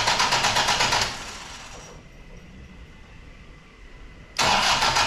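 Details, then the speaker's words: Rebuilt Toyota 1KD-FTV diesel, first start attempt, cranking with EFI fuse pulled to build oil pressure: two spells of quick, even cranking about three beats a second with a pause; turns over, not clearly fired yet. "Then I'm going to put the EFI fuse back in and then crank it until it fires. Fingers crossed."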